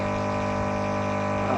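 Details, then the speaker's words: HMV Fiesta Popular mono record player during restoration, after restoring the missing tone-control circuit: touching the amplifier input gives a steady even low buzz with rich overtones, showing the amplifier passes signal normally with no issues. "जैसे मैं tap कर रहा हूँ आवाज़ आ रहा है, तो इसका मतलब एम्पलीफायर चालू हो गया। एम्पलीफायर में कोई इश्यूज़ नहीं है।"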